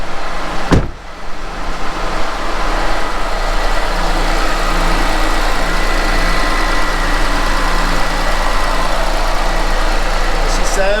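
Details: 2006 Chevy Malibu Maxx, a donated car just brought back to running: a steady, even idle with a smooth low rumble and no knocks or misses; the engine sounds healthy.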